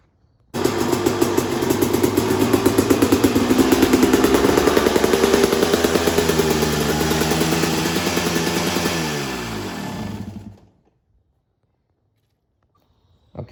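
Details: 2003 RM250 two-stroke after top end rebuild and kickstart repositioned, good compression and spark: sharp crackle rising and falling smoothly for about ten seconds, then shuts off cleanly. Normal running.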